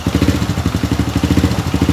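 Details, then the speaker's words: Honda Supra Fit New motorcycle idling after the cam chain and timing chain guide were replaced, before fresh oil was added; an even, low thudding beat with the earlier loud left-side rattle gone. Expected to get smoother once oil is added. "Dan Anda bisa melihat perbedaannya, kan? Suaranya sekarang berbeda, kawan. Dan nanti, setelah oli ditambahkan, suaranya akan semakin halus, kawan."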